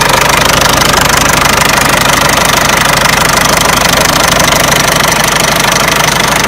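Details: Peugeot 307 1.6 90 hp engine at idle: steady sharp tapping about three times a second over the engine; knocking noise of unknown source.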